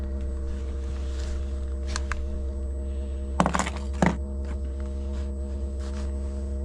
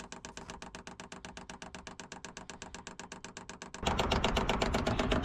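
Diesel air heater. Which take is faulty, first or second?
first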